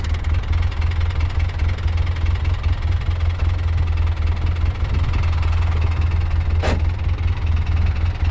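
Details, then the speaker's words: 2011 Polaris Ranger 800 side-by-side, noisy rear transaxle: loud rough rumble with harsh gear noise, much worse in low range from the start; suspected missing gear tooth in transmission or differential, unit later replaced as beyond repair. "makes a lot more noise in low range though I'm not super familiar with whether they always make a lot more noise in low range"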